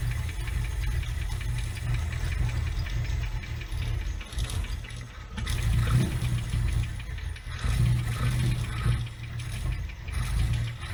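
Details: Abandoned Toyota AE86, carbureted, during fuel mixture and ignition timing adjustments: low, uneven rumble that surges and sags with a loose rattle; engine runs but stumbles, rough running.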